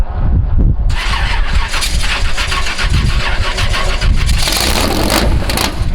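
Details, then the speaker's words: Cheap eBay Honda Civic, rebuilt in two days, at the quarter-mile drag strip; engine catches then runs with an uneven, lumpy beat and irregular pops instead of a clean pull. Fouled spark plugs suspected, not confirmed. "Jared knows something. I think it's foul plugs. Yeah? Okay. Yeah, it doesn't sound right."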